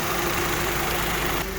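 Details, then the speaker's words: Honda at idle after power steering pump replacement and system bleeding with front jacked up; even low hum while steering, no whine or clunks: normal operation, previous clunking gone. "so we replace the pump seems like everything works pump is working good and no more noise so we're um clunking"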